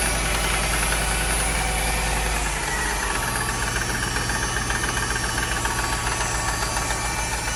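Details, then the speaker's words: Mercedes (title says 2006 CLS 500) idling with check engine and battery lights on: loud, fairly regular knock at about four a second, like a drum line; source can't be pinned down by ear. "god sound like it's coming from this area that sound like the drum line at a football game what is that i can't tell where it's coming from"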